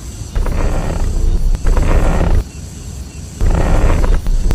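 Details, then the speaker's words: Car steering turned repeatedly: a low groaning rumble comes in bursts with each turn of the wheel, stopping between turns; steering noise said to be a cheap fix. "到没有？打方向有异响，明明很好解决，但是你去修理厂，你猜他敢收你多少钱？"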